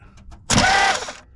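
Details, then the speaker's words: 1979 Chevrolet C10 squarebody, 350 V8, starter being tightened to check shimming; one sharp metallic clash, then silence, no cranking. Starter Bendix comes out and hits but doesn't turn the flywheel. "all right y'all if y'all see that Bendix is coming out but it's just not turning"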